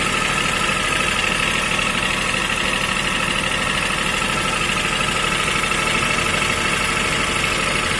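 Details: 2005 Toyota Vitz KSP90, 0.9-litre engine with CVT, at idle: dense metallic rattle pulsing a bit under twice a second over steady idle; owner unsure of cause, not confirmed.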